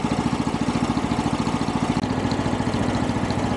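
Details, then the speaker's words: 420cc Chinese DH13 track dumper, started after sitting over a year: small single-cylinder thumps at a steady, even idle, running cleanly off choke before warming up for an oil change; normal idle. "There we go. Now, now it actually idle. We'll go ahead and get some heat up in the motor"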